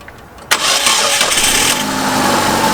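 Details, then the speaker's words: Engine after the broken engine bracket was replaced and the timing belt, pulleys, pump and mount refitted: it cranks and catches cleanly, then holds a steady, even idle with no rubbing or knocking. The noise came from a bracket broken by untightened bolts. "在正时齿轮和支架已经有了距离，噪音已经消失了。造成这个发动机异响的主要原因是那个发动机支架断裂。"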